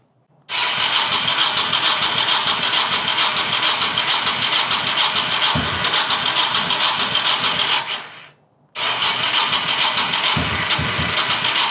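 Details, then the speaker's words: 1985 Honda VT1100 Shadow with sidecar, neglected and allegedly hurricane-swamped, good oil pressure and no water in crankcase, old bad fuel, aftermarket fuel pump: long steady crank with even whirring beat, about two per second, never catches; second crank also fails. "Well, I don't think there's any sense screwing with this anymore. pretty much expected is what he said it was doing before when he tried to start it."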